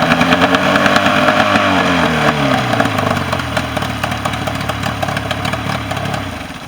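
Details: Mercury 40 hp outboard after a no-start issue, final running test: it revs, then drops back to a steady, slightly clattery idle without stalling or misfiring. Normal running.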